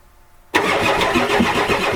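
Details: 1993 Ford F-250 7.3L IDI diesel, glow plugs disconnected (boots burnt), fuel present, on ether: starter spins engine in steady, even rhythm but it never fires; owner concludes no compression.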